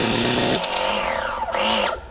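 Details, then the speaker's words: Nova B3 nitro RC engine in an S Works S35-4 buggy: screams, rises and falls in pitch for a couple of seconds, then cuts out; engine keeps sticking and stalling, owner thinks it is properly seized up. "stuck again so we'll we'll keep un sticking it until it wants to run R we we'll keep on sticking it until it wants to stay running"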